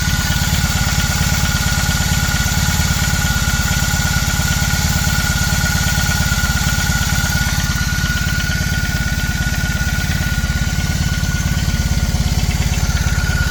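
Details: BMW R18 Classic about 3.5 minutes after a cold start: steady idle with a light, even clatter or knock on the low thump, a few beats per second, louder in person than recorded; cause unclear.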